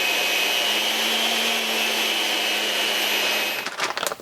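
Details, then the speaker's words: Delta 37-070 jointer motor held in a chuck, after repair of a no-run fault: steady high-pitched brushed-motor whir at an even pitch for several seconds, then switches off; motor now runs normally. "Let's turn it on. Oh, look at that. It's working like a hot damn."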